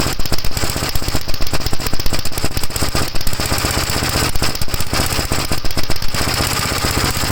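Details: 1956 Gravely L on a cold start, hard to start, before head removal (carburetor ruled out): lumpy, irregular loud thumps, about six to eight a second, never settling. Runs rough cold; cause not yet found.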